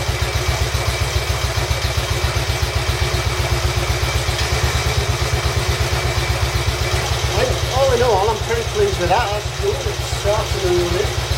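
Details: Royal Enfield Bullet 350 Classic first start after partial seizure repair, cylinder hone, new rings, decoke, valve clearances set and carb cleaned; even deep thump about four beats a second holding steady, smooth idle, carb needs fine tuning.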